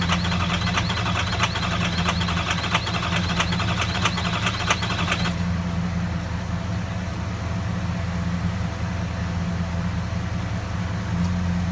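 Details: Ford 6.0L Power Stroke diesel with injector 7 nearly dead and injector 3 failing, cold start: rough, uneven clatter with irregular stumbles at idle, barely runs until warmed up; misfire from failing injectors.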